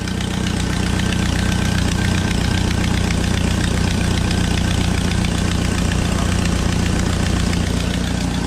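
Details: Jeep Wrangler 2.5 just after fan clutch replacement; the old clutch was loose and weak. Even, steady idle with a smooth low hum and no rattle or wobble from the fan; engine and new fan clutch running normally.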